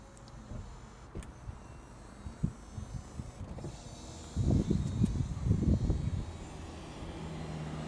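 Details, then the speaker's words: 2007 Audi A4 B7 Cabriolet, soft-top roof motor at rear of car after repair: low steady motor hum with clunks as roof moves, running normally; before the fix the motor made no sound at all. "There you go, just like that. No issues at all. There you go, it's all done. I'm gonna put it back up again now. can hear the motors running. Before I couldn't hear nothing at all."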